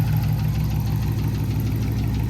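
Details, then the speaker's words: Race car restarted after hot lapping, flame shots and a sudden shutdown on track, owner fears it shut off too late: steady low idle with a faint regular metallic tick-knock riding over it; source not pinned down, cause suspected, not confirmed. "so guys if you listen really really really close you can hear the tick"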